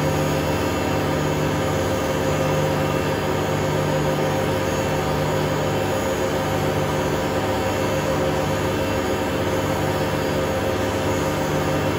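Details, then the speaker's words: Hotpoint Aquarius WMA32 washing machine at full spin: constant heavy roar with coarse rumble underneath; owner suspects broken bearings or a broken spider and plans a new motor and bearings. "obviously when this gets into spin it will get quite loud for for look for I think you best turn your volume down I think it's going to get quite loud"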